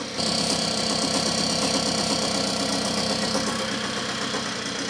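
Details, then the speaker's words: 1979 Puch moped two-stroke, warmed up, sprayed with brake cleaner at the intake manifold to check for air leaks: steady even idle buzz with faint spray hiss, no stumble or speed change; intake seal sound, normal idle. "Can you hear it? It's still running as it should."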